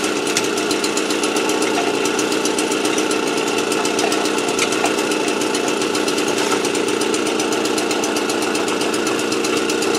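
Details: AV 89 two-stroke moped with 70 cc kit, after ignition repair and correct-thickness head gasket: fast, even buzz with steady crackle, no misfires; running cleanly.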